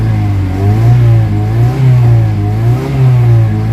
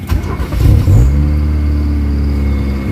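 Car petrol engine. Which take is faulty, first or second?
second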